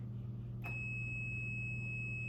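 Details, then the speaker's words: Multimeter continuity check on terminal-block jumpers, probes from terminal 1 to 4: a steady high-pitched tone comes on and holds once the probes connect, so the jumper has good continuity. "And then I'm gonna go from 1 to 4. Hear the audible signal, and I'm gonna go from 4."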